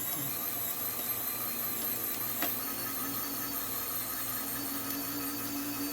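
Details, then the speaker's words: 1/14 RC hopper and conveyor: small linear actuators whine, pulse unevenly, grind and snap as sandy grit in the chrome rubber jams them, leaving them straining. "And you kind of hear that the linear actuators are struggling a bit because for some reason my chrome rubber has got some sandy grit in it and I'm not real happy about it."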